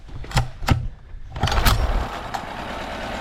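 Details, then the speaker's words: Older Honda 7.5/10hp four-stroke outboard (non-CDI), run in a water bucket: couple of pulls, then catches and runs thin and lumpy, lacking punch, on one cylinder; bottom spark plug found smashed with zero gap, giving no spark. "Yeah. Run on one cylinder. Well, I pulled this bottom plug out, and you can see there's zero gap."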